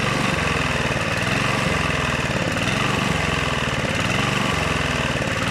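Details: Honda GV150 single-cylinder engine after rebuild: loping, uneven beat surging and dipping about every second; owner suspects choke, ignition fault or coil, unchanged spark plug, or fuel filter; uneven running, cause unconfirmed.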